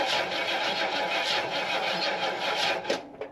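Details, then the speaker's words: Jeep Wagoneer on a start attempt: fast, light clicking at about three or four a second with no engine note. Source of the click unclear, while fuel pours from the carburetor's bottom gasket. "I don't know what that clicking is."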